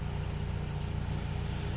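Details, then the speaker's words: Mitsubishi CK2 with 4G15 twin-cam engine, idling after repair: wiring harness extras removed and electrical system traced to cure idle surging up and down; now holds one steady speed, smooth low hum, stable normal idle. "โอเคขอจบรีวิวไว้ประมาณนี้ให้ดูกันนะครับว่างานมันจบแล้วฟังเสียงเครื่องเอานะครับครั้งแรกจะจูนรอบได้อย่างนี้ไม่ได้เลยนะฟาดขึ้นฟาดลงฟาดขึ้นฟาดลง"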